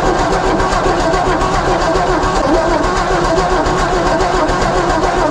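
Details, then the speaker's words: 1954 Ford F250 truck rescued from the crusher, new battery, starting fluid used: steady cranking turns into ragged firing as the engine starts and runs after the ignition points were cleaned. "Think it's gonna do it again? Cross fingers. Oh man. It runs! It runs!"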